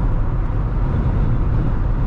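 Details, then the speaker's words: 2021 Jeep Wrangler JL with soft top, 52-inch upper windshield light bar fitted with Aerolidz wind deflector, windows up, about 100 km/h (60 mph): steady low road and wind rumble, no pulsing buffeting; wind noise tolerable. "it's actually really not that bad i mean it is actually very tolerable in regards to driving around with a soft top and a wind buffeting device like the arrow lids on a windshield 52 inch light pod"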